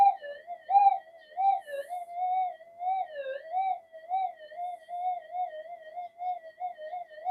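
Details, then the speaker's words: Modified GPX-5000 metal detector with redesigned upgrade boards, noise control and frequency untouched; warbling tone near 700 Hz swelling and dipping about once a second, no steady threshold; coils suspected not properly balanced. Metal detector threshold noise. "I haven't done anything to do with uh uh noise control as such in changing the frequency or anything. Just see how we're going. [Music] loud. It's sensitive as"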